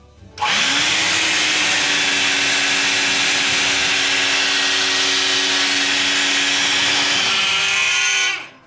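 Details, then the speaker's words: Roughly 20-year-old shop vac, switched on and then off: loud high rushing whir with a steady tone that drops as it coasts down, noise persisting during spin-down; owner suspects a bad bearing or failing motor. "Yeah, see, and when you turn it off, it continues making that noise."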